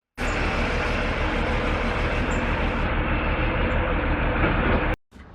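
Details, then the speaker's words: 2002 Ford Taurus 3.0 V6 running with an uneven, stumbling single-cylinder miss; code P0303 cylinder 3 misfire, traced via live data to a bad fuel injector, replaced. "today we're working on a 2002 Ford Taurus 3.0 V6 and as you probably heard as I pulled the car in there was a miss"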